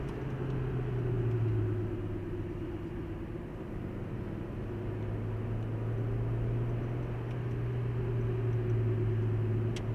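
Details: 2015 Hyundai i20 on road test at speed after brake pads and discs were replaced on both sides: steady low road rumble, smooth and even, no pulsing or scraping; previous vibration above 120 km/h and wheel noise gone; normal.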